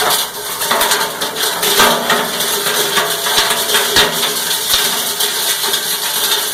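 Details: Cumberland 7.5 hp granulator, 12x12 cutting chamber, grinding PVC (Schedule 40 pipe, P-trap, fittings): busy clatter of sharp chops and rattling plastic over a bright rush, steady throughout; normal granulating.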